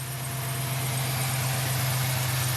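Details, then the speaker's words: 2007 Chevy Silverado 1500 idling after repair, with a new lifter installed: even, steady idle with a smooth low drone and no valvetrain ticking. A faint belt chirp rides on top and belts need replacing. The engine has taken in coolant and the check-engine light is on. "but it's all good to go again as you can see it already sucked down some coolant but um guys she's ready to go so another lifter does the job"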